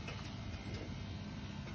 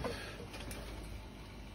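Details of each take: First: Dunkirk steam boiler converted to single-zone hydronic heat feeding a fan coil, no heat in house: steady even low buzz with no clicks from the aquastat relay on the boiler control; circulator running. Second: Dunkirk steam boiler converted to single-zone hydronic heat feeding a fan coil on the air handler, house not heating: circulator pump heard running with a quiet, steady low hum, no rattle, grinding or surging; system pressure about 15 PSI.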